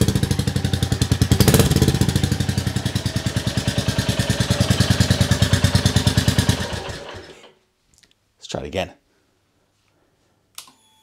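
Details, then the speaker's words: Rebuilt 2022 Royal Enfield Classic 350, first start indoors: steady single-cylinder thump with a loud, blatty exhaust for about seven seconds before shutoff; engine runs fine, but the owner is not convinced by the silencer and may refit the original. "it's done I can't believe it it starts it runs not convinced by that silencer I'm indoors it sounds a bit blatty"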